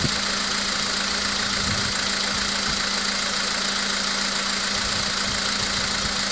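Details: VW Polo Sedan with CFNA engine at idle: irregular quick tapping, roughly three or four a second, over an even idle hum; an unexplained engine knock at idle.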